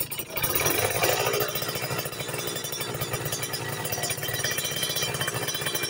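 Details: Two-stroke during pilot/main jet tuning: crisp idle at 1000 rpm picks up smoothly as the throttle opens slowly, with no bogging or popping, a clean, well-jetted response.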